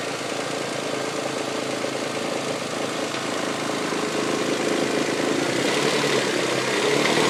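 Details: 1999 Toyota Sienna engine knocks/taps, like something hitting the valve cover, at start-up and light revving, also heard around 2300 rpm driving; began after fitting six NGK iridium plugs and an oil change; light regular tapping about three per second.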